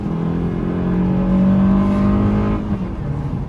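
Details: 2010 Ford Fusion driving, noise only when accelerating from lower speed: a deep, loud droning, grinding-like hum swells under load then eases off, resembling transmission or bearing noise; broken engine mount passing vibration into the body.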